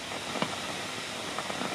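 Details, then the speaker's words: Abandoned tube radio being slowly brought up on voltage, about 80–100 V at 10–15 mA: faint irregular pops and crackles over a steady hiss. Silver mica disease is feared but not confirmed, and hum later points to poor replacement capacitors. "Oh, I hear something. Did you hear that? Oh, don't tell me I got silver mica disease."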